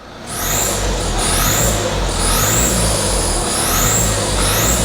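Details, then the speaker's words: Diesel, no longer smoking: high chirping squeak rising and falling with each rev over diesel roar; EGR leak because a bolt snapped into back of head, stud unreachable, reassembled knowingly leaking. "that squeaking is a leak on the EGR. when I pulled it apart, a bolt snapped, and it's a bolt that goes in the back of the head, and you can't get to it to get the stud out."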